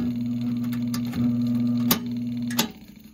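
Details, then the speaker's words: GE box fan motor after repair (broken winding soldered, heat-shrink fitted, windings coated with liquid electrical tape), running bare: steady low hum with a faint even tick, then it winds down; motor running normally again. "so there you go um this thing is running again"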